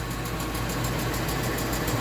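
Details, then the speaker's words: Ford F250 5.4 Triton V8 at idle, heard from inside the passenger-side fender (barely audible under the hood): fast light ticking keeping time with engine; owner first suspected roller follower or lifter, cause was a loose spark plug leaking compression. "Triton V8. I don't know if y'all can hear that. You can definitely hear it from inside the fender on the passenger side."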